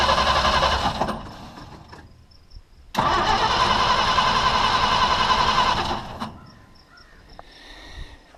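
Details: Old International truck with a new fuel pump swapped back to the old pump, gas poured into the carburetor: engine fires, runs a few seconds at a rough idle, then fades and dies as if starved for fuel; neither pump delivers fuel, lines empty, cause unconfirmed.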